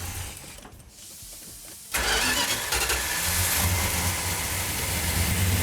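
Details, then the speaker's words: 1972 Plymouth Duster 340 build, started with no primer fuel: quick fire, then a strong, even, throaty V8 idle with the choke held. Normal start and healthy idle. "Sounds healthy. What? Sounds healthy. What? Oh, it sounds good. Yeah. Listen to that. Fantastic."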